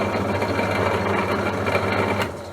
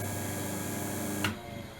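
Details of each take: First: Sherwood 12-speed bench drill press, 0.55 kW (3/4 hp) motor: rough rhythmic grumble about three or four beats a second, fading as it spins down; motor grumbling, cause not yet confirmed. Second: Second-hand Sherwood 12-speed bench drill press, 0.55 kW (3/4 hp), belts back on after the loose grub screw was tightened: even, low hum with no grumble or knock, quiet wind-down. Much quieter than before; normal running.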